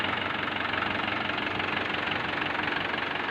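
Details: Mahindra Swaraj 843 diesel tractor idling. Steady, even clatter with a fast, regular beat and no knocks or misses; it idles normally.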